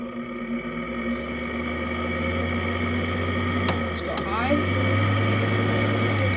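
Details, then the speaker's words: 2014 Frigidaire air conditioner on low fan, worsened since being washed: steady low hum with a rough, rattly whirr from worn fan motor bearings. "ever since i've washed it and ever since that frigidaire video the bearings have gotten worse i'll let you listen to them now"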